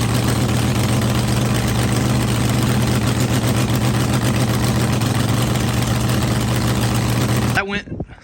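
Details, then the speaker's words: Healthy V8 idle, deep, steady and even with no misses or knocks, then shut off; first fire-up after pulling the head to helicoil a stripped head stud that spun when retorqued. Engine hot, no leaks, assembly lube melting off. "smoothly we don't it's see any leaks going on here yet nothing we're bone dry down there nothing's all going on over there"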